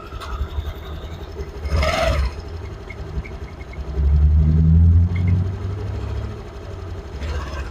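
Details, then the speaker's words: Honda Activa 6G BS6 scooter running: a low, uneven rumble with occasional rattling surges as revs rise; the noise seems to come from the clutch, suspected before opening it, unconfirmed. "की कभी-कभी कच-कच आवाज ए रहा है ये आवाज ए रहा खोल के देखते हैं क्या तकलीफ है"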